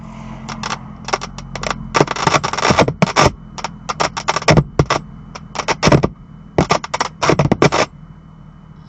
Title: 2018 BMW M2 crackling (screeching) sounds from the speakers on April 22, 2019